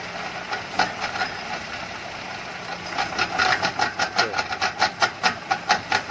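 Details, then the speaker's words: Proton Saga FLX under load with steering turned: crisp rapid clicking, two to three a second, growing louder as the wheel turns, absent when driving straight; driveshaft suspected. "oke kalau bunyi begini biasanya masa ala driveshaft bila lurus bunyi itu tiada bila kita pusing steering"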